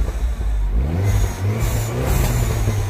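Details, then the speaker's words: 2009 Mini Cooper S R56 1.6 turbo petrol with high-pressure fuel faults (error 2880) and rough running: the engine now climbs smoothly from idle on throttle with a clean, even note and no stumbling or misfire. "so the chorus is Hidemi fine is responding okay to the accelerator it's running perfect absolutely perfect"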